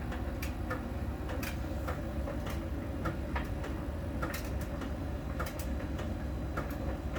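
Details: Miele dryer during drying: sharp, light ticks about once a second over a low tumbling rumble, following drum rotation. A small ball sensor rolling over the drum ticks at a contact spot on the drum's outer surface; this is normal.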